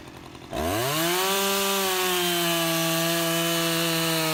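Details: Restored Husqvarna 353 chainsaw with a new fuel line, carburettor just tuned, cutting wood: it snaps up to a high, steady, clean scream and holds pitch under load, pulling strongly and evenly. The chain is grabby and needs readjusting or sharpening.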